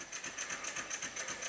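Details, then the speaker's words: Rebuilt Stuart 10V steam engine on compressed air, after final adjustment and tightening of the main bearing bolts to the sole plate: soft, even chuff about six beats a second with no knocks or clatter; very quiet, healthy running. "it's so quiet you can actually hear me breathing in the background"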